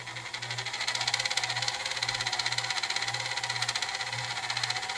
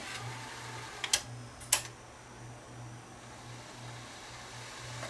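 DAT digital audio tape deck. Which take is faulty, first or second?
first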